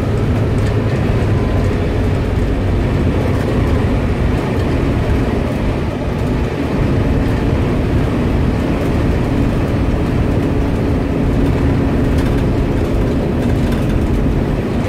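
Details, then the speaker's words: Cummins ISB diesel on a highway road test of its VGT-operated exhaust brake, after lifting off the throttle. Deep, steady exhaust roar as the truck slows without the service brake. Brake pulling normally. "now I let up left the trial which you'll definitely hear the rumble usually comes on pretty strong right back up now and here are the revs and I'm not touching to break working perfectly"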